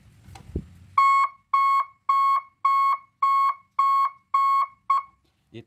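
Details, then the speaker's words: Three-tone reverse alarm on a 24 V truck (12/24 V unit): clean high beep, about one second on and half off, repeating near two per second; working normally. "untuk atrak kita gabungkan kabel kuning sama kabel merah dia seperti ini"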